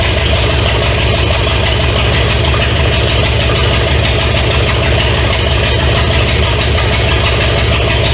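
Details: 1970 Pontiac LeMans with Pontiac 350 V8, first start after sitting for decades: loud, raw idle barking through open manifolds, even and steady with no knocking or ticking. Smoke is from oil added to cylinders to unstick rings. Normal idle.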